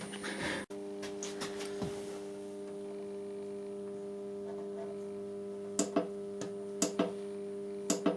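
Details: Solis grid solar inverter after repair of Zettler relay contact pressure fault: steady low mains-type hum under a few light clicks and taps while generating about 92–161 watts fed from a variac; normal healthy running.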